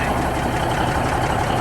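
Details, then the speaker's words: 1971 Peterbilt 352 diesel, first run in 30 years after air tank replacement, fed from a 5-gallon jug: low even rumble at steady idle, no knocks or misses, no major air leaks; air pressure building, oil light out. "Sounds good. I don't hear any major air leaks out here. So I'm gonna let her sit here and idle for a few minutes and see how far it gets before something blows."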